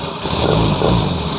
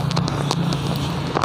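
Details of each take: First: 2016 Honda Scoopy FI, kick-started because the battery is weak, after repair of rough running and intermittent ignition: even, steady engine note with a smooth quick pulse, no misses; starts with one kick and the rough sound is gone. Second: Honda Scoopy FI scooter, hard to start, revving with empty throttle like out of fuel: uneven lumpy idle with irregular pops and cracks, very rough like worn valve/camshaft; intermittent ignition, misfire.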